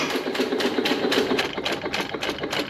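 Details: 1925 1.5 hp Sattley hit-and-miss gas engine, briefly run indoors with no cooling water after Wico EK magneto work: light quick pops in uneven bursts with coasting gaps, crisp firing; it later failed to restart and a new spark plug was fetched.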